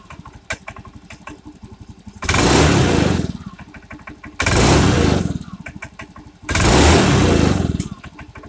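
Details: Honda Beat injection scooter, after replacing broken spark plug and leaking plug cap that caused stumbling: even idle with three quick throttle blips climbing and dropping cleanly, no stumble or popping; fuel pump was not the cause.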